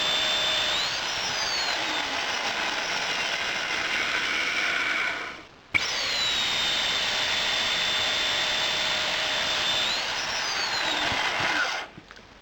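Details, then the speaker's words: Microwave oven timer/controller's power button set to level five on a motor: the motor whines up to speed, cuts out for about a second, then spins up again, since low power is on-off pulsing rather than true speed control. "that's what happens and that's how microwave oven is controlled it's switched on for low power and then switched off for a while and then switch back on again"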